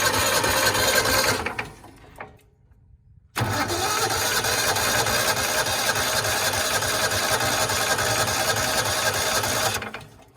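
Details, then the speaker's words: John Deere Gator 4x2 that had not run in years, battery charged: steady starter churning at about three turns a second, never firing; cranks fine but gets no fuel, fuel pump suspected bad and replaced. "Actually, we're not getting fuel. Fuel pump thing might be shot. I don't know."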